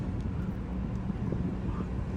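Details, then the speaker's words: 2017 Lexus LX570 driving below 40 mph after replacing loose starfish wheel center caps with solid caps: only low road hum and light wind, previous rattle gone. "now for the ultimate test let's see if that noise is still there nice and quiet"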